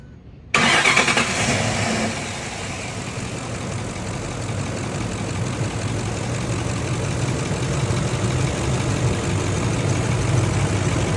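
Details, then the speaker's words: 2005–2006 Ford F-150 after replacing the damaged flex plate and polishing the crankshaft: quick crank, clean catch, then a smooth, even idle; the flex plate noise present whenever the engine ran is gone. Normal start and idle. "Y ahí, como podemos escuchar, ya no hay ruido de lo que viene siendo el flex plate. Ese ruidito ahí que estaba sonando cada vez que estaba encendido el motor se ha eliminado."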